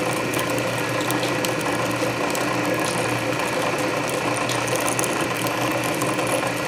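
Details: Canedy Otto drill press, belts freshly re-laced, drilling at low speed with power feed: steady gear whir with even ratchet clicks, about 100 per minute; main drive belt slightly slippery but unnoticeable thanks to gear reduction. Healthy.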